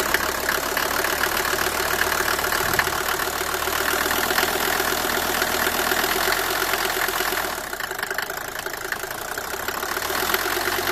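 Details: Mercedes W124 250T diesel, 245,000 km, cold idle after head gasket and valve stem seal replacement: loud, uneven clatter ticking three to four times a second; source unknown.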